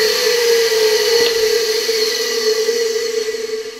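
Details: Hungarian Imi motor, tested on a regulator at reduced voltage: a steady mid-pitched hum with a bright whine above, even and unwavering, easing off toward the end; the motor runs fine.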